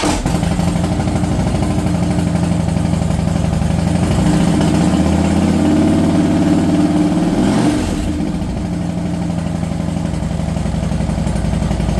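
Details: 2012 Harley-Davidson Dyna Wide Glide FXDWG after fuel pump replacement for crank-no-start with BCM code B2119 (fuel pump high current), codes cleared: steady lumpy V-twin idle with a quick blip and smooth return, even firing; normal idle.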